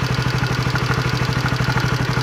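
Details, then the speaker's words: Honda CB150R engine idling after valve shim work, a fast even pulse with a dry clatter on top from a damaged camshaft bearing; the chain tensioner (stabilizer) is also worn. "Ini karena laharnya rusak, jadinya suaranya seperti ini."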